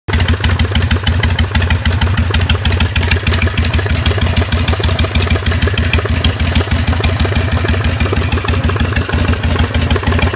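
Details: 2004 Harley-Davidson Sportster V-twin idling with a sharp regular knock over its deep lumpy exhaust beat; the owner is still trying to identify the cause.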